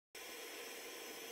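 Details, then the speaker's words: Blackmagic Design HyperDeck Studio Pro 2 gives a harsh, steady rushing whir from power-on as its failed main CPU cooling fan grinds; the unit does not boot, and the owner suspects a failed boot flash. "well what i have here is a pair of black magic design hyperdex studio pro 2 units and if you can't hear the wonderful grinding noise apparently both these have fans that have failed and they both appear to be dead which is fantastic"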